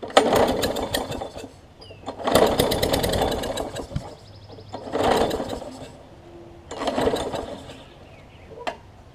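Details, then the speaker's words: Craftsman push mower with Briggs engine, first test with starting fluid, carburetor off: four pull-start bursts of quick chuffing, tries to pop over but won't keep running; has fuel and spark. "that's good enough for me i know it's got fuel and fire because it's tried to pop over"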